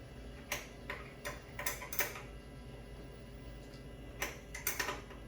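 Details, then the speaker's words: Tesla Model S refresh after installing an Ohmmu lithium 12V battery (drop-in replacement): touching the negative terminal back on brings short bursts of crisp relay clicks, then quiet. The car wakes normally and boots with no error messages. "Now we touch the negative terminal. I can hear the car turning back on."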